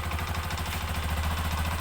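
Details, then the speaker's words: Honda TMX 125 after valve clearance tune-up, idle RPM raised: revs briefly with even, quick pulse and no tapping on top; earlier sharp valve ticking and poor idle now gone, valve train clean. "mapapansin natin yung kanyang lagitik ay luminis na Okay yan"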